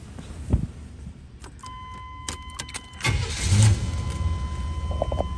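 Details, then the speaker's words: 1986 Oldsmobile Cutlass Supreme V8: brief crank, fires right up and settles into a steady, even, smooth low idle; healthy start. "you can hear the nice smooth idle this car really sounds great"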